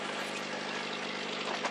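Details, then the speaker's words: Carbureted car idling after a cold start, which needed ether poured into the carb; a sharp, raspy puffing over a steady low hum from an exhaust leak just below the manifold; owner plans to fit a header. "you can hear I still got that exhaust leak by just below the manifold."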